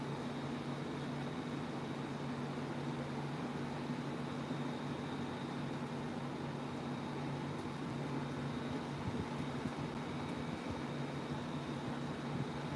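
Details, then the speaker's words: Unbranded 28" tower fan running on a blade motor swapped in from a dead 2010 Aloha Breeze 32" tower fan 87120. Steady low hum with a faint thin whine that sounds weird; cause unclear. "something doesn't sound right for that sounds weird for that is so weird it's making a weird noise"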